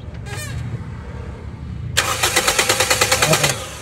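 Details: Toyota Vios Gen 2 with low power on the expressway and no-start, after fuel pump replacement: short burst of brisk, even cranking at about three beats a second, no firing yet; the new fuel pump now delivers fuel.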